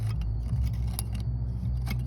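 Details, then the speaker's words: Catalytic converter removed from a Ford F150 XLT 3.5 that was logging misfires on both banks: its internal substrate has broken apart, giving loose, scattered clicks and rattles as it is moved. "catalizador. Ese daño interno, ¿eh? Está todo deshecho aquí adentro."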